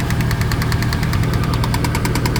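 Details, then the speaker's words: 1999 Chevrolet Silverado V8 at idle: a quick, even metallic tapping that sounds like engine knock. It is actually a loose dust cover rattling. "Little bit of a knocking going on there. I'm looking to see if there's a bolt or something up here that's not tight."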